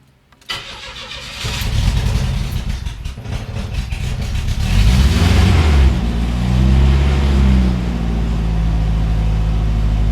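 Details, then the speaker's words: 1985 GMC S15 2.5 four-cylinder, 31,000 miles, catalytic converter removed and straight piped, head gasket issue: catches after a short crank into a steady but fast, loud idle; idle control valve suspected. "It does run a little high idle, so I may have to go in there and fix the auto control valve for that."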